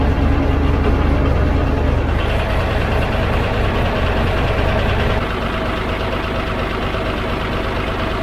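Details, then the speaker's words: 12-ton diesel grader idling after a new drive chain and an oil and filter change; the chain is not yet filled with oil, with oil poured over it while it turns. Even low rumble, no clunks or grinding. The chain runs well; hub bolts are to be backed off for sealant. "All going around pretty well, so I'll back those bolts off, put some sealant around that hub, and then do that back up, because I'm pretty happy with that, I think."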